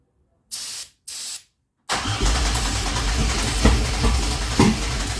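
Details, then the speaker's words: 2004 Pontiac Grand Am 3800 supercharged with 5-speed swap, first start attempt after wiring the engine harness, using starting fluid: two short cranks, then a longer crank with uneven pops but never catches; fuel or spark problem suspected. "Y'all heard it a few times. It tried to start. So it's definitely got to be something with the fueling or the spark."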